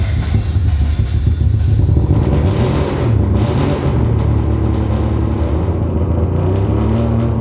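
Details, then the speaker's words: Rebuilt 20B three-rotor RX-7 engine after cleaning all six injectors and checking their wiring, with the fuel adjusted: deep, steady rumble holding revs evenly without stumbling, much better; it previously broke up at 4000 rpm. "all right this is much better but let's see if it let's see if it stays this way"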